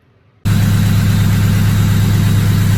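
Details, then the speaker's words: Engine back together after reassembly: catches and settles straight into a smooth, even low hum with no ticks or misses. No check engine lights; a healthy idle. "So that's how she's purring. She's back together, she's alive."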